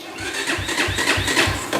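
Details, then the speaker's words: XR150 clone motorcycle electric start before using the decompression lever: laboured starter chug, about three compression strokes a second, never catching; sluggish cranking from a really weak battery. "That's the decompression lever, but the battery is really weak."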